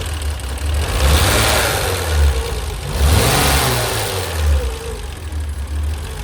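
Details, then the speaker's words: BMW E30 started after 10 years, after a dead fuel pump was replaced and open vacuum lines plugged: engine revs smoothly on throttle blips and returns to a steady idle; fuel regulator hose leaking gas. Engine running and revving. "Of course, I had to plug all the vacuum lines that were left open, but car runs. Listen to it."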